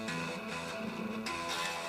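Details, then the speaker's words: Marshall MOSFET solid-state guitar amp, found dead after storage: strummed guitar comes through fuzzy, farty and distorted even with volume well up, line out also noisy; cause undiagnosed. "strange sounding output even though yeah you can hear it sort of distorted and farty"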